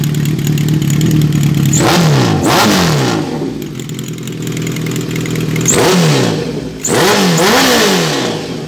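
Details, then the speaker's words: 2005 Kawasaki ZRX 1200R, first start after rebuild with Yoshimura TMR-MJN flatslide carbs: crisp clean revs rise and fall freely from idle, no clatter or misfire; slight smoke only from freshly repainted exhaust; healthy. "oh that sounds great very pleased with that"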